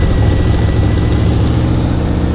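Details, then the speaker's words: Pontiac Firebird WS6 V8 on its first start after 10 years parked, on a jump box, running hot with the fan on: a deep, steady burble stuck at a fast idle; owner suspects vacuum leaks; high idle. "why did I Le so high though so it's the vacuum leaks"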